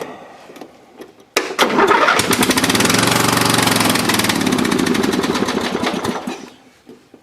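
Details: Dynamark riding lawn mower that sat unused, carburetor not yet removed: engine catches after a few cranks, runs unevenly about five seconds, then stalls; dirty carburetor.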